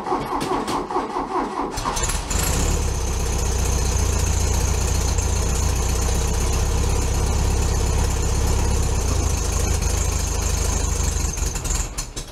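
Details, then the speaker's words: VW Bug, cold start at about 15 degrees: cranks briefly, catches at once and settles into a steady, even low idle with no misses or knocks; normal cold start and idle. "So a couple of cold starts and we'll see what happens."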